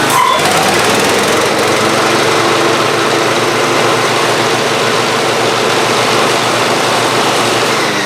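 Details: Free Ariens GT14 garden tractor single-cylinder engine running at steady, even speed, no knocks or surging, after belts, hose and hydraulic fluid were redone; earlier knocking no longer heard, hydraulics work and deck spins. Normal running.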